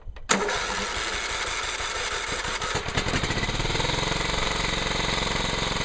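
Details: John Deere STX38 Hydro lawn tractor after new carburetor and oil change, float had stuck and filled crankcase with gasoline: brief crank then catches into an even, steady beat without surging. Finding: normal running.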